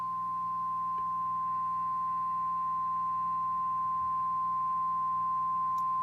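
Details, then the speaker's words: Fender '63 Vibroverb reissue, amp volume at zero, reverb turned up: after a played note a steady ~1 kHz tone with faint hum keeps ringing and building; goes away with reverb down, pressing the reverb tank stops it; cause unknown. "it'll just continue to build if i turn the reverb down it goes away"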